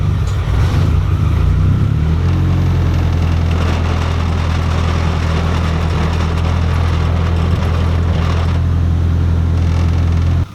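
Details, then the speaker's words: Nissan 240SX running after fitting a bigger Deatschwerks DW300 340 lph fuel pump, checked for leaks: catches and settles into a steady, even run with a smooth low drone and no misses or knocks. Fuel pressure is likely higher, so the adjustable regulator is reset. "just like that, Stella runs again. After installing this bigger fuel pump, I knew my fuel pressure was likely to be a bit higher."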